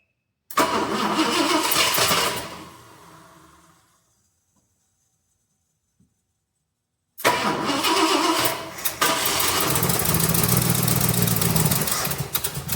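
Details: 1966 Ford Galaxie 500 XL, 390 FE V8, 4-barrel carb swap, given some fuel: turns over, briefly catches, fades out, then cranks again into a rough, uneven run; hard starting.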